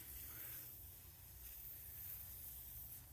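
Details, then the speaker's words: Craftsman air compressor with newly installed pneumatic fittings, regulator set to about 80 psi: faint steady hiss of escaping air over a low hum, a small leak at a loose fitting, stopped by tightening it. "go up to 80. shall we camera Focus regular regulate go oh no a little bit of an air leak"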